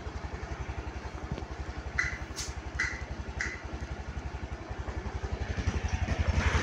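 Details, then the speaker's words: Honda Beat Deluxe scooter (about 2023–2024) that stalled and started hard, after tightening loose coil and TPS connectors: steady idle around 1300 rpm with even low pulses, no stumbling, faint clicks; normal idle. "Dan setelah saya e merapatkan soket koil sama soket apa namanya? TPS yang tadi motor bisa hidup normal tanpa kendala dan bacaan datanya di sini lancar bagus ya."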